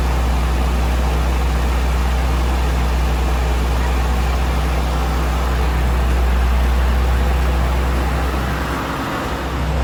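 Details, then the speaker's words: Nissan Stagea after adjusting timing belt and tightening belts and tensioner pulley, warming up after start: deep steady idle, even rumble, no squeal or belt chirp; earlier noise gone, running clean. "Hopefully, well, the update will be it started and without making all that noise. Well, that took care of the noise for sure. Just letting it warm up."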